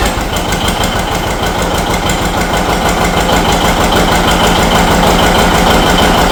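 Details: John Deere 70 two-cylinder tractor started for a hill comparison with a 1959 730: even, slow pop-pop beat around three a second, steady and regular as it settles into idle before warm-up; healthy runner.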